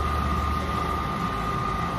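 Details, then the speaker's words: Champion UH300 M4-series undercounter commercial dishwasher with cold water feed, during rinse with rinse water injecting; steady water swish and constant mid-pitched hum; recirculation pump running normally, not yet draining as water level is low. "You see how the recirculation pump is running? But it's not dumping any water because it doesn't have too much water in it yet."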